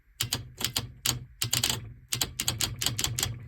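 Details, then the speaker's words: 36V/48V golf cart or Taylor Dunn solenoid on the bench, coil powered from a power supply (polarity doesn't matter): sharp metallic clicks as the plunger snaps in each time, so the solenoid coil is working normally. "It's just an electromagnet in there, and the polarity does not matter."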